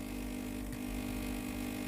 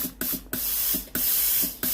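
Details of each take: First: Philips GC9622/20 steam iron with no steam: steady low electric buzz as the pump runs but draws no water from the tank into the boiler, pump failed; fixed by replacing the water pump and hose clamp. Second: Philips GC9622/20 steam iron, boiler test bypassing water pump: sharp hiss bursts about once a second, cutting off cleanly — normal steam output; faulty water pump and possibly intermittent steam switch diagnosed.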